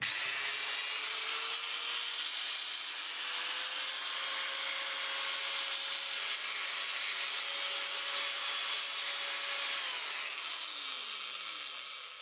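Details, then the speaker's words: Varyag angle grinder that had seized and hummed without turning, gearbox found bone dry with its nut worn round, after repair and full reassembly: clean high-pitched whir spins up, holds a steady tone and winds down smoothly. "Ну всё работает звоню клиенту отдаю"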